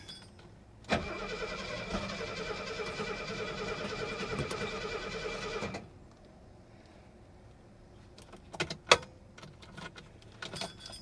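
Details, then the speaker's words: 1972 Mercedes 250 at auction, over a quarter tank of fuel, building oil pressure: about five seconds of steady, even cranking with no firing; no fuel pump heard, and the owner suspects no fuel is reaching it. Crank, no start. "I don't hear hear a a fuel pump coming on when I do this she wants to try come on baby just let it sit for a second"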